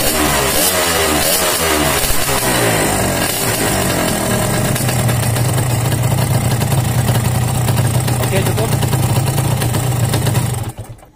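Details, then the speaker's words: Yamaha RX-King two-stroke six months after piston rebore, block oversize 200 (formerly pinging and knocking from loose piston; owner reports high fuel use, block to be replaced): even idle burble, steady low hum, no slap or ping, then shut off; runs fairly smooth. "Oke jadi sobat semua ini sudah kita dengarkan sama-sama ya hasil fresh piston enam bulan yang lalu berlebih nah ini kita Nilai saja sama-sama Menurut saya cukup halus Ya lumayanlah"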